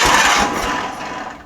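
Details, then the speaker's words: John Deere 318 garden tractor, Onan P218G engine, battery tested good, spark confirmed with tester: cranks with a few weak firing pops then fades; no start from fuel starvation, carburetor needle valve found stuck shut. "it's looking like right now we need to address a fuel issue"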